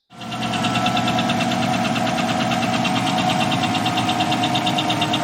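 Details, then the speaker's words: Chevy 5.3L LS truck engine at idle: fast, even, light ticking about eight clicks a second over a steady idle, the true lifter tick example; hydraulic lifter tick. "okay so now you've heard what true lifter ticks sounds like"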